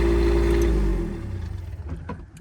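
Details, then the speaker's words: 2001 Monaco motorcoach (Freightliner frame) onboard diesel generator, run from the main diesel tank, started at the exterior panel: low, even drone with no knocks or misses, fading as the listener moves away; normal running. "Okay, generator is running. This is a diesel generator, and"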